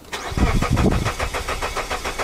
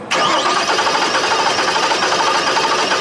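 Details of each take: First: Suzuki with a misfire and an intermittent compression problem, cranking at about six even pulses a second; the starter cadence is now even with no lazy beat, so compression is currently equal across cylinders. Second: Reference cranking clip: the starter turns with a lopsided cadence, one compression stroke missing each cycle, showing a single cylinder with no compression; it is used to diagnose a misfiring Suzuki that already has new coils and plugs.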